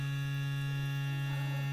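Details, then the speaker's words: Aquaphor Morion 101S water filter, two years old, after installing the missing water hammer damper on the main line: steady low electrical pump hum that eases off and returns but no longer runs nonstop; normal pump hum. "вот этот гул. Сейчас скоро успокоится, наверное."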